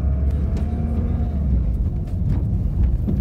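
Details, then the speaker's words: Test drive after repair: clutch now soft, like new, and the earlier knocking no longer heard; steady low engine rumble, no crunching or clunks from the clutch; car runs smoothly, normal driving. "Kako je mekano kvačilo, ovo je sad ko novo. Dobro je, ne čuje se ništa ono što je lupalo prije"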